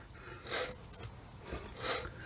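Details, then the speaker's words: Old left rear wheel bearing from a 2015 Nissan Murano (50,000 km, 7 years old), spun by hand in the wheel: gritty, rough grinding with a dull clocking catch each turn. Worn bearing; the new OEM bearing spins quietly. "i've tried to set this up so that you can see or hear at least some of the difference between this old bearing and the new one"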